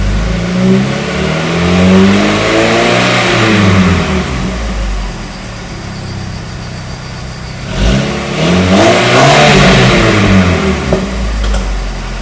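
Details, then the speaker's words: 1996 VW Jetta GL MK3, 2.0 four-cylinder (about 110–115 hp), 4-speed automatic, barely any exhaust, heard from outside: smooth revs climb and fall twice with a clean, steady note; normal exhaust note while revving. "nice sounding exhaust note the 2.0 sounds like a 2.0 I mean it's not going to grab attention probably not meant to anyway because it's a slow car"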